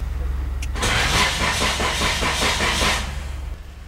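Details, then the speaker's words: Nissan Tsuru that cranks but won't start: the starter turns briskly with no firing, and a test light shows no voltage on either fuel pump wire with the key on. The pump isn't at fault; power isn't reaching it, so the fuse is checked next. "tampoco tengo corriente esto me indica que mi problema no es la bomba aquí el problema es que no llega corriente a la bomba"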